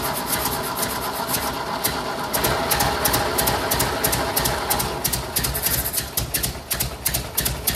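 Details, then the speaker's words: Freshly rebuilt 1958 Ford 821 tractor four-cylinder engine on its first run from a temporary gas tank: uneven, lumpy patter of ticks around three per second. Rough running; still needs tuning. "we've got some more tuning to do but we definitely got it running"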